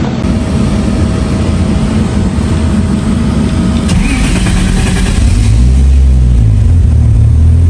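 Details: MK3 Supra on a stock block with a Haltech standalone, after the cranking and fuel tables were tuned on a hub dyno: fires promptly, idles steadily, then revs cleanly with no stumble or misfire. Healthy start.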